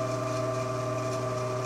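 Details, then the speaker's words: 1948 ILG 213 exhaust fan on high speed, rated 1140 rpm: steady mains hum with a tonal whine and no climb in pitch. Motor runs slow and doesn't reach speed; sounds stuck on its starting winding, capacitor suspected. "fact it sounds like it's just sitting on the starter mining so i'm not going to run that too long just to be on the safe side"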